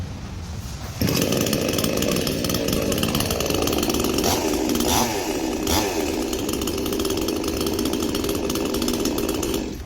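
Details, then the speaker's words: Hyundai 18-inch gasoline chainsaw starting and running high. The chain brake is then pushed forward, the pitch drops and holds steady as the chain stops, and the engine keeps running smoothly. Normal running with the chain brake engaged. "Ini dia ada fungsi brake dia untuk keselamatan lah. Tolak ke depan bunyi macam tu, tandanya brake dah."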